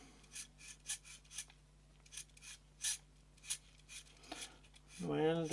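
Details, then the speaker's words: Canon EF 28-80mm f/3.5-5.6 II zoom lens focus gearbox of plastic gears, turned by hand: short raspy scraping bursts about three a second. Gear wheels rubbing against each other, some lacking grease; fix was lithium grease on the axle ends. "is something that is a bit noisy but maybe some of the the gear wheel that goes i mean work against each other each other"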